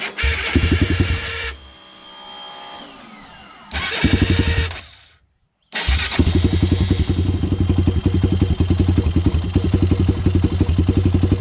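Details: Honda 400EX single, first start after rebuild and idle-screw adjustment: fires after a couple of cranking tries, then a steady, even thump with no knock or valve clatter. The owner still plans to work on the carburetor.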